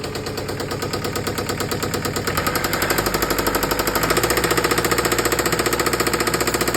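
Loud, sharp regular knock, roughly three per second, hammering over the diesel idle and getting heavier as it runs; a clear engine knock.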